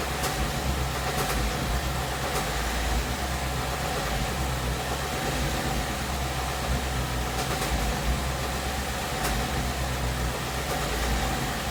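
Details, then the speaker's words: 2017 Ford Mustang GT 5.0 V8 at about 10,476 miles: steady low idle with faint sharp ticks now and then, knocking in the 1000–1500 rpm range. It began around 7.5k miles. Ford calls it normal and the owner disputes this; cause suspected, not confirmed. "All this knocking comes from between like 1000 RPM to 1500 RPM. So I don't know. The Ford they say because it's something normal, which it isn't."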